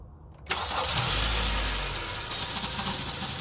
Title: 2015 cr-v weird grinding sound